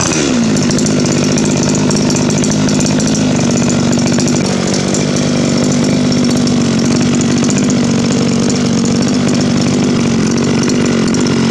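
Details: Two-stroke weed trimmer that had run rough and then would not start, running after its clogged exhaust was burned clean on a gas stove: steady, even buzz at constant pitch without stumbling; now runs smoothly.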